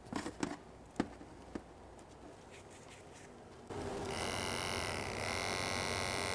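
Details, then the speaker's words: Short electric fuel pump for a 1963–1972 Mercedes fuel-injected six or 6.3 V8, run on its own and held close to the microphone: smooth, steady high hum after a few handling clicks, no rattle, surging or much vibration; normal running. "i'll put it up close to the microphone nice smooth operation every pump has its own little unique sound to it"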